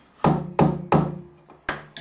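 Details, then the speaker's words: Steel angle set up for milling a square door-bar hole, without support: sharp metallic ring on each tap, about three a second, decaying slowly, as the unsupported workpiece springs; a machinist jack under the centre stops it. "That's going to be a little bit springy, so it's an ideal situation to use machinist jacks, just to put a machinist jack under the centre of there, just to put a little bit of load on it, just to take the spring out of it."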